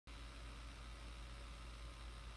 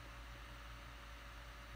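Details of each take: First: Laptop, long uncleaned: constant airy whoosh with a faint steady tone and no speed change; the cooling fan runs loud, owner suspects dust buildup in the fan, to be opened and cleaned. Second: Laptop fan under heavy load while playing video: a steady airy rush with a faint low hum, no rattle or ticking. The fan sounds normal.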